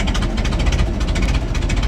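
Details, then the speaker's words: 1926 Ford Model T touring, crank-started: lumpy, uneven idle with beats dropping out of the rhythm as one spark plug isn't firing properly and needs replacing; misfire from faulty spark plug. "you can hear that spark plug needs to be replaced it's running rough"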